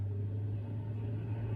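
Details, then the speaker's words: Frigidaire GLRT183TDWE warm fridge: the evaporator fan motor, found not working, runs only after a push, with a low, slow and uneven hum; it is failing and needs replacing. "oh she picked right up she's not gonna last long definitely need a new one"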